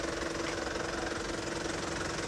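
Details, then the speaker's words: Used Isuzu ELF diesel microbus at idle: steady, even tick-over with no misses, stumbles or rough shaking; a healthy engine. "nah mesinnya cukup halus enak didengar irama mesinnya itu kalau mesin bagus sudah sudah terlihat ya ya iramanya lebih halus kayak gitu tidak terdengar pincang ataupun kasar-kasar kasarnya mesin diesel kelihatan"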